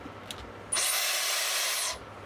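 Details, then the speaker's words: Dyson Airwrap that cuts out after about 5 minutes of use: once switched on, a loud harsh high rushing hiss holds steady, far too noisy and less powerful; fan starved of air by a clogged intake. "but I can I can straight away hear that there's some blockage. It shouldn't be that noisy. Everything else on it works and it's fine. It's working perfectly fine. It's just it sounds like there's a starvation of um air on it. It's not quite as powerful."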